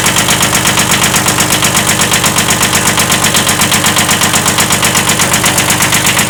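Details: 1979 Kubota B7100 tractor at idle: a sharp, regular knock about two to three per second over the diesel clatter, a slight rod knock.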